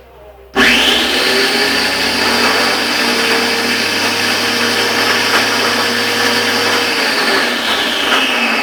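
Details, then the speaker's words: Wap Super pressure washer makes a strange noise when switched on: the motor starts abruptly and runs with a loud, harsh whine and a rough, buzzing edge; abnormal running noise, cause still undiagnosed before opening it. "Vamos ligar então para ver qual é o defeito. Segundo o cliente, disse que a máquina quando liga faz um barulho estranho."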